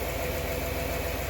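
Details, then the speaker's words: 1996 Ford 5.0 V8 out of a Bronco, destined for a 1978 Ford, running with an exhaust hose routed outside: a steady, even idle with a smooth low pulse and no knocks or misses. Harmonic balancer fine, only the front pulley damaged. Normal idle. "So with that being said, kid, fire it up. Motor runs pretty good."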